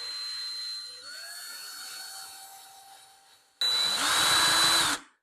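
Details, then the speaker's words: Cordless drill: steady motor whine, then rough chattering buzz as the bit spins in the chuck, chewing up the bit's end; caused by chuck not tightened enough, fixed by retightening firmly. "see how this stopped but this moved right now the only thing that's doing is chewing up the end of our drill bit here so at that point that's caused by this not being tight enough on there"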